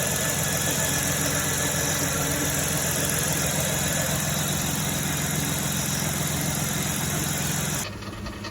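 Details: 3.3 L Dodge/Chrysler V6 after the belt tensioner adjustment: a smooth, steady idle with an even hum and no ticking or knocking from the belt drive, the earlier knock having come from the belt/tensioner, not the engine.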